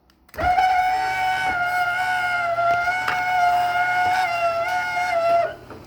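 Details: Martin DC 37e garage door opener (item 799 65) making an awful noise from one part of the unit, tried after Blaster silicone lubricant: a loud, steady high-pitched squeal for the whole run, stopping with the motor; the lubricant didn't help much, and the owner wonders if something is worn out.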